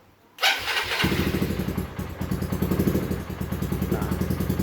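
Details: Honda New Megapro motorcycle that would not electric-start, now with a healthy 12.9–13 V battery replacing a weak 5 V one: brief starter whirr, engine catches right away into a steady, even single-cylinder putter. Normal electric start.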